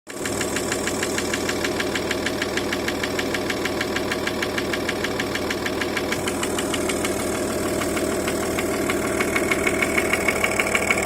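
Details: Audi A6 C5 2.5 TDI AFB diesel at idle: sharp evenly spaced knocks about three a second over the clatter; at idle knock comes and goes, always present at higher revs, origin unknown. Engine knock.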